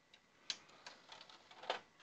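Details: Xbox 360 disc drive after repair of a sticky, stuck tray, final test: a few light clicks and a soft whirr as the tray closes and opens cleanly, no grinding or sticking; tray now works normally.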